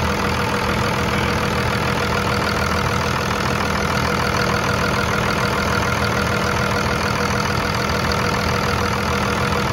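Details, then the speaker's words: 2000-2002 Dodge Ram 2500 diesel, manual, about 387,000 miles, just after a fuel filter replacement and priming, idling: smooth, even diesel clatter with no stumbling or stalling. Running healthy. "so um it's running good and stalled out yet it's been running for i don't know five minutes or so probably"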